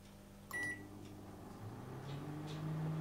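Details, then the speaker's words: ARDO AMW 25B microwave just plugged in, nothing started: the high-voltage transformer hums at once, and the owner says the case area over the mains filter board heats up; transformer hum from stuck relay. "я еще не включаю просто в розетку втыкаю и уже гудит как юдит высоковольтный трансформатор ну а еще ничего не включена"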